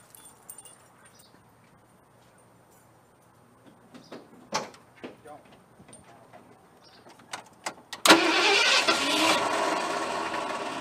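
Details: Truck with a dead battery, jump-started from a lithium jump pack putting about 16 volts in, makes scattered clicks, then catches at eight seconds and settles into a steady, even run; a normal start.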